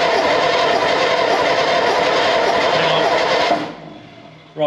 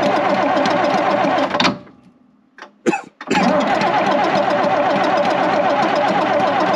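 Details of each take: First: Second AEC Matador diesel engine on a stand, fuel pump timing, valve timing and tappet clearances already checked: fast even cranking with no firing; smoke shows fuel is arriving; low compression suspected. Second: 82-year-old AEC Matador truck diesel, cold start at minus four with snow, first run since October: clatters into life, nearly dies, catches again and settles to a steady tickover; healthy cold start.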